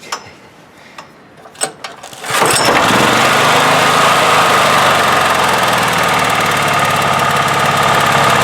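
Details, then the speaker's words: 1997 Honda EB5000 generator with cheap non-OEM carburetor, air restricted, on auto idle with 1500 W heat gun plugged in: clicks, then catches and settles to an even idle with faint constant whine, no more surging. "it used to surge a little bit now it doesn't surge at all just restricting the flow"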